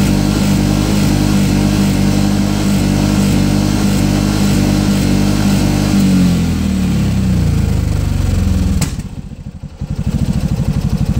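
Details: Piaggio MP3 500 scooter that cuts out at 6000 rpm: engine holds high revs, sags, then settles into uneven lumpy idle; owner suspected bad fuel, replaced tank and is burning off fuel in lines, unconfirmed.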